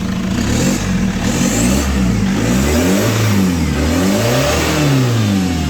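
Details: Chevrolet Captiva diesel after total cleaning of turbo and fuel lines, injectors checked, first start after rework, previously heavy pull, smoke and rough engine: clean throttle blips climbing and falling freely without hesitation; power back to normal.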